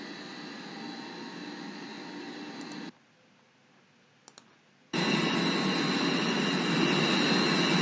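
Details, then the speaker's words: Blower (fan) V-belt with insufficient tension: a steady rushing blower with a thin, wavering squeal on top as the slack belt slips on its pulley, and the belt visibly sagging. V-belt slip squeal. "이것도 좀 벨트가 미끄러지는 소리가 좀 들리죠 복은 소리 예 별 좀 미끄러진 소리 좀 들리 그죠"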